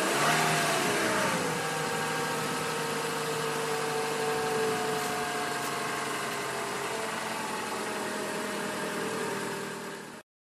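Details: 2012 Toyota Camry SE at 5,000 miles, ethanol-blend gasoline, cold start at 66°F recorded with an outside microphone: starter catch, brief rev flare, then revs ease to a smooth steady idle with a quiet whir; normal cold start.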